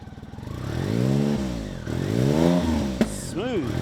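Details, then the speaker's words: BMW K75 RT after new fuel injectors, spark plugs and air filter fix: clean blips, revs climbing and falling smoothly with no stumble, misfire or clatter; engine running well and sounds healthy. "so I'll list it for sale here we go it's um running well now love it hear it listen to this"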